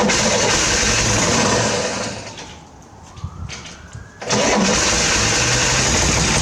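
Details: 1968 Corvair being revived after sitting, carbs primed with extra gas: it cranks and barks into life, dies for a couple of seconds, then catches again briefly but never settles into a steady run. Owner suspects the mechanical fuel pump can't pull fuel from the bucket.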